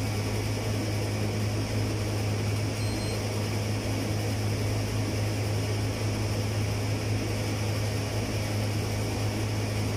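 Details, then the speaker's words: Condenser-type clothes dryer without heater runs with a loud, steady low hum and an even whooshing rush; customer complains it is noisy inside. "So, ang complaint ng customer daw mga ka-tech, ay maingay daw sa loob."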